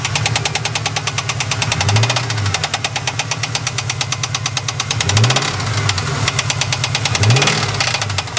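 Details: 1998 Pontiac Trans Am LS1 V8 at idle: sharp, evenly spaced knocking with a few deeper thumps, a bottom-end knock; owner suspects a rod bearing, not yet confirmed.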